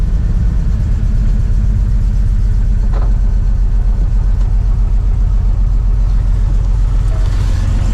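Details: 2000 Jeep TJ that died roadside with P0351-P0353 ignition coil codes, after a wrong 10A fuse for the O2 sensor circuit was replaced with a 20A: a steady, even low rumble with no misses or knocks. It now runs smoothly.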